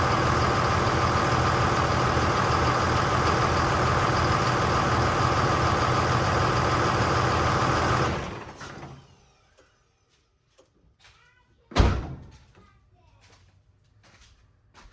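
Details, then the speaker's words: 2002 Dodge Ram 2500 24-valve Cummins diesel after engine rebuild and reinstall, first start after bleeding injectors; steady, even diesel clatter at idle with good oil pressure, then clean shutdown; normal idle. "Has fantastic oil pressure. Sounds good. Doesn't sound like I messed anything up."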